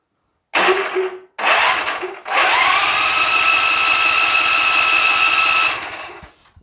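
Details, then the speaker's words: John Deere Z335E zero-turn mower left in rain with gas cap off, fuel line pulled off fuel pump to carburetor: starter whirs in bursts then long crank that never catches; fuel pump delivers no fuel, water contamination suspected. "let's crank it over and we're going to watch for fuel to come out right there"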